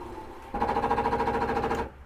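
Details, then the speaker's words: 2008 Keystone Cougar 276RLS travel trailer slide-out: short motor run with rapid even clicking about a dozen per second when held about three seconds at end of travel; normal slide reset, nothing wrong. "nothing wrong with that that is resetting your uh slide every time you go out hold it for about three seconds go ahead and listen to that clicking noise now"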